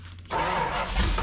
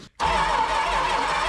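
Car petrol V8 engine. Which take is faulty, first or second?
second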